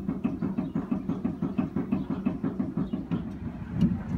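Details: 2016 Chevy Colorado Z71 on stands, rear rocked back and forth: hollow, dull clunks about three a second. Owner suspected the differential after an oil change. The dealer found faulty recalled rear leaf springs, and replacing them fixed it.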